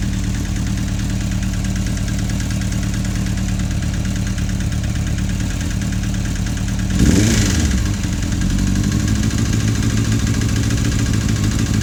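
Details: Suzuki GSF 650 four-cylinder at idle with a quick, sharp top-end clicking after a brief throttle blip; valves already adjusted with no change, one camshaft lobe slightly more worn than others, cause unknown.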